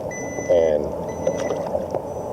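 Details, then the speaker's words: Quest/Deteknix Xpointer pinpointer at a lake: on switch-on it enters an emergency mode and gives a high, steady beep in long stretches instead of staying quiet. It didn't do this when new. Constant beeping on power-up. "I am having trouble with that is turning it on and it enters this damn emergency mode or something and"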